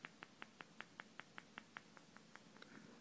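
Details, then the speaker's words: Hitachi P50T501 plasma TV power supply: light crisp clicking about five per second, suspected loose material inside a failed 3300 µF 100 V electrolytic capacitor. The TV won't turn on or shows half a blank screen. "might be able to hear that clicking let's see actual stuff inside a capacitor"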